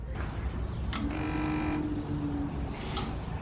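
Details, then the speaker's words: LS-swapped S10 Blazer before its first start: power jumped straight to the fuel pump wire gives a steady low electric hum for about 1.5 s, then it stops; the fuel pump primes normally. "all right so now whenever I Supply power to this we should hear the fuel pump Prime"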